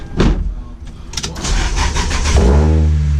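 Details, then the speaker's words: Toyota Celica after wire tuck: owner heard no fuel pump prime and doubted it would start; irregular cranking churn for about two seconds, then engine catches and settles into steady even run, smoky; clean start. "Whoop. I guess I just couldn't hear the fuel pump. Excellent!"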